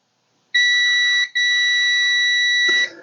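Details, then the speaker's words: Edgestar cooler control board, replacement relay bench-tested with a meter: clear continuity beep, a brief break, then a steady two-second tone as the energised relay clicks and its contacts close properly; the old relay showed no continuity. "okay there should not be any continuity right now okay you should hear click and now we should have some"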